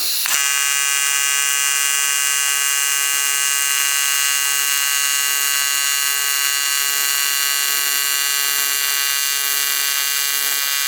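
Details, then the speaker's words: ARCCAPTAIN 200P AC/DC TIG welder on AC at 140 Hz, balance 20%, after raising frequency and adjusting balance: steady, even high buzz with no sputter or crackle; stable normal AC TIG arc. "Yeah, definitely like the 140 hertz for sure. I think with the balance at that 20%."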